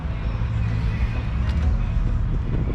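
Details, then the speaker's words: 2011 Yamaha Stryker 1300 V-twin with 8,000 miles and factory exhaust, idling after a crank-no-start was fixed; deep, even idle with a steady low throb, no misses or knocks; running smoothly. "And now that I got everything fixed, man, it's running nice, man. Running real nice."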